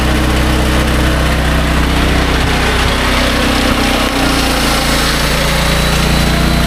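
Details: Restored SDMO 5000W generator with a Briggs & Stratton engine (about 18 hp), low on fuel and sitting on an angle, under heavy load from a 6 hp vacuum and 1500 W heater (about 15–20 A expected): a steady, even drone holds speed without surging or stumbling.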